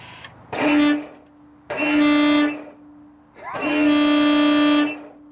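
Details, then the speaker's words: Newly installed air horn on a Mitsubishi/Plymouth Colt, first test wired into the horn wire: three short blasts with a thin, reedy note, faint pump hum between. Owner suspects a worn-out pump; the horn fuse blew, so a relay is added next. Weak air horn. "Pump sounds a little tired. So, That sounds lame. Something's wrong with that pump. I think that pump's a little worn out."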